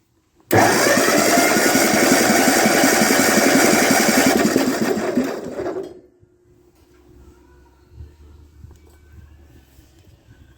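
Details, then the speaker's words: 1948 Ford 8N tractor with stuck intake valves being freed with spray, cylinders 1 and 2 working and 3 starting to return: a fast, even starter chug at about four beats a second with no firing, then it stops; the cylinders are losing compression from the stuck valves. "see I let them sit for a minute and they came back down all on their own"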